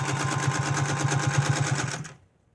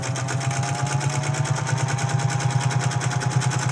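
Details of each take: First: 1931 General Electric Model A sewing machine, featherweight predecessor, oiled but with a homemade belt, stitching at speed: fast rhythmic clatter with a rumbling train-like chug; rough noise attributed to a dry, unoiled bobbin case; upper tension slightly loose. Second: General Electric Model A sewing machine after oiling, bobbin case oiling and belt adjustment, stitching doubled canvas: even steady stitch chatter over smooth motor hum, no knocks or slipping; running well.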